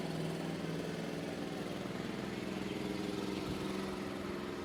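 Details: Golf cart single-cylinder engine after replacing the blown exhaust gasket, engine seat cover back on: steady, even putter at idle, about three to four beats a second, quiet with no exhaust-leak puffing; sounds perfect after the repair.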